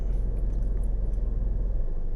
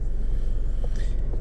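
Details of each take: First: 2012 Nissan Rogue, idling: deep lumpy shake felt in steering wheel and seats each time A/C clutch engages, revs drop, not a misfire; fixed by induction service and cleaning dirty throttle body and MAF sensor. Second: 2012 Nissan Rogue in gear, after induction service, throttle body and MAF cleaning: low, even idle rumble with A/C on, no surging or shaking; drastic improvement over previous A/C-engagement shake.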